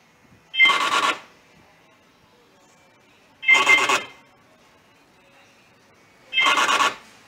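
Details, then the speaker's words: 2003 Kia Cerato rear door lock actuator: three short, harsh rasping bursts, one per lock operation, from a stripped internal gear. "Nous sommes ici avec une Kia Cerato 2003 et quand la serrure est activée elle fait du bruit dans cette porte arrière..."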